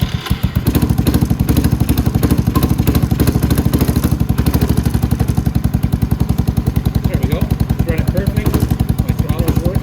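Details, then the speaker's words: Venom X22GT 250cc automatic motorcycle with Nibbi carburettor, started with choke after replacing and adjusting the throttle cable: steady single-cylinder thump at idle, clean firing pulses, quick throttle response. Normal running. "So we're going to pull our choke, the key on, fire it up."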